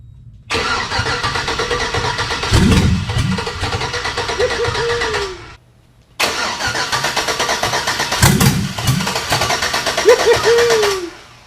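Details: Chevy V8 swapped into a Jeep Comanche: two bursts of cranking with a few weak catches that never pick up. Fuel pressure and spark are confirmed, but it runs only on starter fluid; cause unknown.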